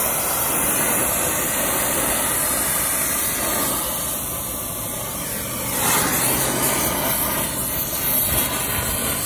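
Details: New Hoshizaki ice machine install: the vacuum pump pulls down only the line sets, reaching 956 microns. A steady, even hissing drone with no surging or knocking means the vacuum pump is running normally.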